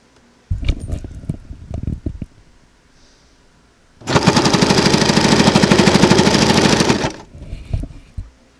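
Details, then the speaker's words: Sewing machine with walking foot stitching about eight layers of cotton: fast, even, loud clatter, normal for the bulk with no needle banging on the presser foot. "you see there that can be pretty loud but the end result of using this particular foot is you get nice neat clean stitches on layers of fabric"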